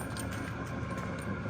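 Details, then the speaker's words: Chinese diesel heater after E-10 error repair, heard from the front on power level 10: steady blowing rush with quick, even ticking as the fuel pump moves a lot of fuel; normal high-setting pump operation, repair successful. "Oh yeah, listen to that pump now. Now remember, it's moving a lot of fuel, but that's on level 10."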